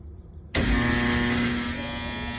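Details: HVAC blower fan motor after rewiring power through the inverter contactor instead of the bypass contactor: snaps on and settles into a clean, steady hum with a faint whir; the contactor vibrates; normal blower motor running.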